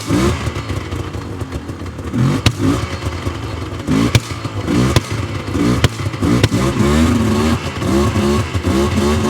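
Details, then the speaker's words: 1999 Yamaha Vmax 700 triple two-stroke snowmobile, started on choke with the choke then taken off: a rough, popping engine that bogs, won't open up, idles down and stalls. "definitely uh not running great not opening up very good you can see it's idled down a lot oh and she died"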